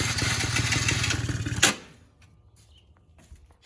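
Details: One of two long-unused quads (Can-Am DS 50 or Yamaha Breeze 125), with electronic choke, started on a battery charger: buzzes unevenly under two seconds, then dies abruptly; stalls after starting, carburetor suspected of not drawing fuel.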